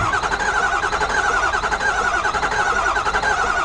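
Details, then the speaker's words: 2009 Ford F250 6.4 L diesel V8 with a cylinder misfire, cranking during a relative compression test with amp clamp: steady cranking rhythm with one weak beat every cycle; one cylinder low on compression. "and I don't know if you can hear how the is not consistent when we when we actually try to crank this over"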